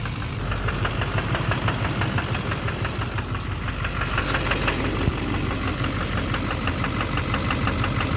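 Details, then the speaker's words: 2009 Chevrolet Duramax LMM dually with camper, cold start at 4°C, on fast idle in drive with the e-brake on: a sharp, regular ticking knock about three per second, still knocking after one injector is unplugged; the knock is traced to a failing injector (#5). "Alright, just unplug. Unplug one, guys. Still knocking."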